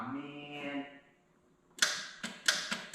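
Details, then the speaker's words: Nissan S14 240SX with SR20 engine, first start attempt, fuel pump priming: several sharp separate clicks with no cranking; suspected flat battery, bad terminal, low voltage to the starter or a missed ground wire. "i don't know it sounds like it's not getting enough voltage to the startup maybe did you miss a ground wire or something"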